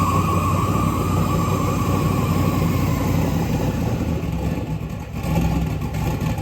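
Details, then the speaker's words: LS V8 running on an engine run stand with fuel lines built on the stand before going into the truck: deep, steady rumble at an even idle with no misfires or stumbles; runs well. "So now like this thing runs, so I can literally just pluck it off of here."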